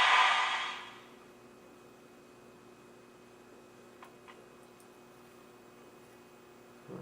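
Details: Zenith Bug Eye set, 16Z25 chassis, first power-up on variac at about 120 VAC, B+ near 300 V DC: burst of speaker hiss fading within a second to near silence.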